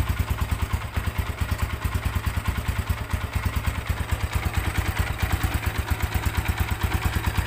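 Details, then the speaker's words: Tiger Evo motorcycle, power capped around 80 and rough, idling near 1000 rpm: rough uneven clattering knock about three a second over the engine beat, louder when the clutch is pulled — clutch housing rattle. "Oke ini suara mesinnya nya pada waktu stasioner kita coba putar di 1000 rpm ya suaranya seperti [Tepuk tangan] ini kasar sekali ya"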